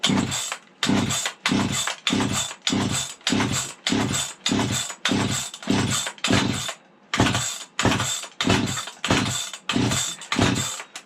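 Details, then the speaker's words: Vintage 1970s Stihl 031AV chainsaw, long stored outdoors and rained on, on fresh 32:1 fuel mix at full choke: steady pull-cord cranking that churns and catches briefly with a little exhaust smoke but never runs; fires but won't start. "Ooh, did you hear it churn? You got a little smoke coming out of the exhaust. She's trying to kick over."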